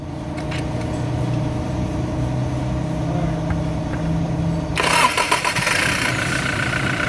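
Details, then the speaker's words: Toyota Hilux 2GD diesel that was hard to restart, after fitting a new starter: short crank, fires first try, steady idle; starter bendix disengages cleanly on its own, good one-click start. "Ayun bumitaw. Ibig sabihin good one click good starter bumibitaw kusa"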